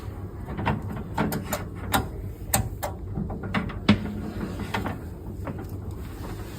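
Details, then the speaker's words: SolaX Triple Power 5.8kWh battery, disconnected from the inverter, DIP switch set to 4, main breaker on and power button pressed: scattered sharp relay clicks in quick bursts over a faint low hum as it fully switches on; normal, 120 V measured after. "please make sure that the battery is fully on you will hear some clicking"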